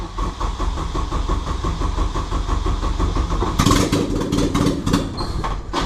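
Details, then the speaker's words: Honda K20 engine in a Peugeot 205 project at first start with no exhaust fitted: a harsh, raw, very loud popping idle at about three pulses a second, with some revs; it runs. "It does want to run, but it's very loud. Oh yeah, I forgot to press record, but it started up. It's very loud, but that's enough because there's no exhaust."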